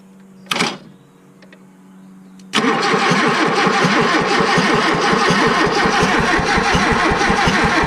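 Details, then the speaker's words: 1986 Toyota Corolla KE70, abandoned for years, still pulling fuel from the tank: starter spins the engine steadily at about three beats a second but it never fires; no visible spark at the plug during cranking. "no no spark look at that one let's just see for the crack no spark [Music] all right i have no spark well none that i can see anyway"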